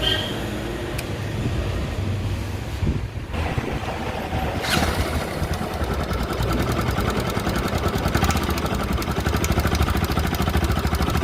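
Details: Bajaj Pulsar NS200 at idle: single-cylinder beat with busy metallic clatter about three per second; top-end noise, timing chain, tensioner and guides to be checked, cause not yet found.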